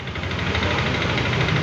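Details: Yamaha Lexi 125 scooter, single cylinder, starting and idling evenly with a steady pulse and no misfire after ECU repair (diode replaced, error code 1, CKP power restored); healthy idle.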